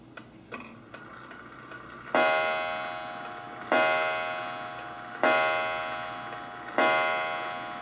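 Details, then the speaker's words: Antique estate-sale clock with adjustable pendulum, wound forward: four loud ringing chime strikes about one and a half seconds apart over a faint tick; healthy chiming clock, just loud. "And I tell you what, none of my family's happy with how loud that is, so I'll probably keep"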